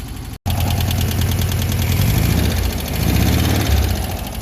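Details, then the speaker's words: VW Beetle air-cooled flat-four idling, owner suspects a rebuilt engine: steady beat with a light ticking valve clatter over it. "it's got a little bit of valve clatter and we're still poping fuel out"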